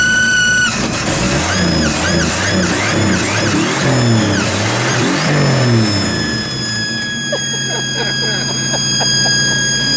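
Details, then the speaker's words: Turbo build on a carbureted engine (two holes drilled, primaries closed), first start: steady high whistling squall over the running engine through revs from a vacuum leak where the intake gasket is missing; no return spring fitted, otherwise running sweet. "You got to ignore the vacuum leak because we ain't got a gasket for that, but everything else is sweet."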